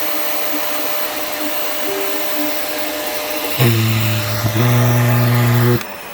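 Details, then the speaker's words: Fantom Cyclone XT (XT56) vacuum while vacuuming: steady motor drone, then a hollow hooting tone like a deflating balloon; a loose, falling-apart valve keeps slipping out of place, leaving an air gap that leaks. "You can hear that valve like how it keeps. It's like it's falling apart, and it keeps slipping out of place. So there's like this air gap that causes it to whistle, or not whistle, but whatever that like balloon deflating kind of noise is."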